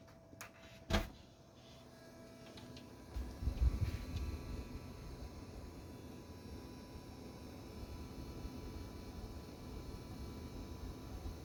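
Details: MSI Radeon 7900 XTX Gaming Trio Classic: steady thin ~1 kHz whine with fainter higher tones over low fan rush, loud at load and idle, fans also rattle, FPS capped at 165 didn't help; graphics card coil whine.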